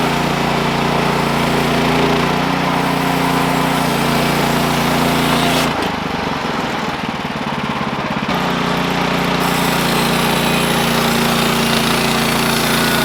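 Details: Sawmill engine drones steadily, then the note sags for about 3 s mid-cut as the blade stops, before picking back up. The cause was a worn-out, slipping clutch and a worn drive belt.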